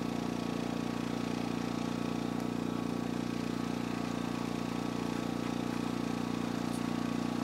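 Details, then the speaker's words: Energizer eZV2000P gas generator in economy mode with no load plugged in: steady even low hum, regular beat, no knocks or surging; clean normal idle. "So there it is, running just in its economy mode."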